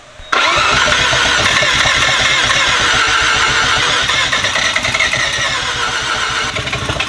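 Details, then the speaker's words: Rotary, fresh seals, started on brake clean before switching to pump gas: fast whirring crank with ragged, uneven firing pulses, trying to catch but never settling; hard starting, nearly fires while cranking, cause unclear. "oh it was almost there"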